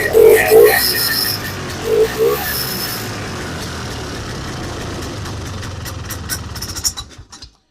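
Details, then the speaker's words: Vintage snowmobile two-stroke after replacing the stuck stock carburetor inlet needle and priming: fires with a few pops, then steady even buzzing run with no misses or hunting. Normal running. "That is another runner. So that's 3 right here that are ready to go."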